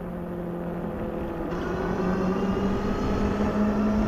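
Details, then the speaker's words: Globalkeep MA-S electric motorcycle riding on pavement on aggressive knobby fat tires. A steady, low drone rises slightly in pitch with speed over light wind: normal knobby-tire road hum. "So, we're They hum going down the road. You notice them."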